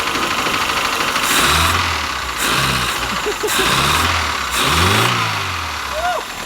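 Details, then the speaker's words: A project 2002's engine, unstarted since about 1987, catches quickly and is revved in repeated blips that climb and fall cleanly. There are no knocks or rattles and it sounds pretty good; running after this first start is normal. "You just woke it up from a very long nap. It sounds pretty good though. I'm very surprised it just started cranking that quick."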